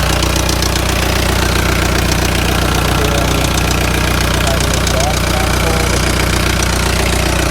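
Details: Volkswagen Jetta diesel just after an oil change, cold start: diesel clatter with a steady light tick about two or three per second, suspected worn cam followers or lifters, owner considering cam and lifter swap; valve train tick.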